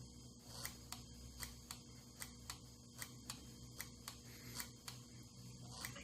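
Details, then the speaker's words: 1982 Honda Urban Express with electronic flasher and test bulb on left turn signal: sharp, even clicks a bit under a second apart, flasher cycling normally under load. "Hopefully you can hear the flasher flash. When I put the light on it, it'll actually speed up because it's put more load on the flasher."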